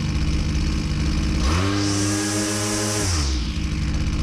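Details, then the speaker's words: Husqvarna 122C string trimmer two-stroke at full throttle: revs then runs rough and burbling as the high-speed jet is richened, speed dropping; four-stroking from a rich high-speed mixture. "notice when I rich it up the speed goes down and he it four stroking"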